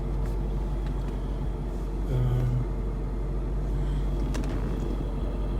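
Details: 2012 Mustang GT cabin after replacing the interior ambient temperature sensor, whose small fan caused a rattling noise. Now a steady low engine hum with no rattle or buzz from the dash.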